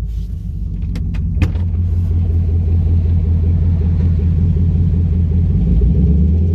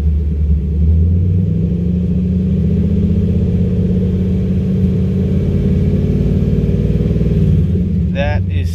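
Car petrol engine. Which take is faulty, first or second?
first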